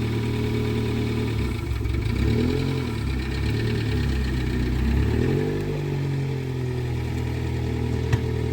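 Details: Rare prototype Yugo with Toyota 1.0 VVT-i engine, barn find first started after about four to five months: steady, even low idle with smooth consistent beat, no knocks or misses; starts and runs excellently.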